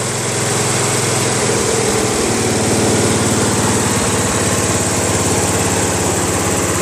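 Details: Craftsman LT1000 lawn tractor, 21HP Briggs opposed twin; rough uneven idle with vibration, right exhaust warm not hot, so one cylinder not running; its spark plug was cold with water on it; owner told connecting rods gone.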